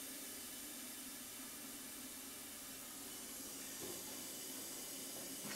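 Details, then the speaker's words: Steady high airy hiss from a hose-fed inner tube being inflated to push out a dent in a GTO restomod passenger door; leak location unknown, owner suspects the inner tube itself is leaking. "sounds like we have a leak somewhere it's doing the trick right"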